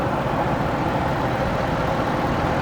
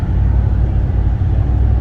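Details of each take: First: 2010 Ford F150 with 5.4 Triton V8, heard with the hood up: loud steady idle, even, with no knocks or ticks; exhaust slightly loud, believed to lack a muffler but cat still fitted; normal idle. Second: 2010 Ford F150 4x4 cruising on the road with the muffler removed: a deep, steady low rumble, louder and throatier than stock but not obnoxious. Loud exhaust from the removed muffler, apparently intentional.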